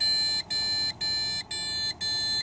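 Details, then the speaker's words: ASUS Sabertooth Z77 PC with one Corsair Vengeance 8GB RAM stick and no graphics card: even high beeps about two per second, a six-beep POST error, and no boot. The cause turned out to be motherboard failure. "and that's six is the beeps that I was referring to that's what I'm commonly getting as the air it's not letting it get past post"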